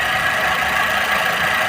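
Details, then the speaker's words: Chevrolet Sail petrol car, after repair of a misfire that appeared once warm with a blinking check engine light, now idles smoothly and evenly with no stumble or missing beat. "देखिए, इसमें 1% भी कमी नहीं है; दोस्तों, गुमशुदा होने की समस्या का समाधान हो गया है।"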